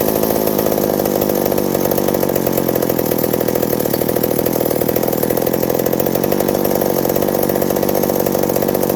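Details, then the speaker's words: McCulloch 790 (MC101) chainsaw with new 090 carburetor, muffler loosening from broken bolt: howls at full throttle while cutting, slightly uneven and surging, lean-sounding; owner suspects a developing vacuum leak at the intake gasket. "Stuff is starting to act a little iffy, like it's starting to get a vacuum leak and stuff like that."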